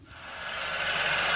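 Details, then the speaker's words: Suzuki SX4 idling with a loud, steady high-pitched hiss and scream, swelling quickly, from the lower front; A/C compressor clutch pulley bearing failure confirmed by stethoscope; clutch replaced last season but bearing not. "as you can hear guys i know you can't localize it but the noise does appear to be emanating from the lower front which is the compressor"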